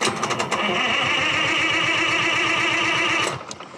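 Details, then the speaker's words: Detroit Diesel 3-71 two-stroke powering a century-old Altman-Taylor sawmill, cold start after about 3 hours of two 250 W block heaters on the oil pan and coolant: catches straight away with a fast, even bark and no misses. Previously it needed ether. "Oh, I'll give it some throttle. Previously, I would have needed ether. This engine just really doesn't like starting when it's cold. So I guess the block heater experiment worked."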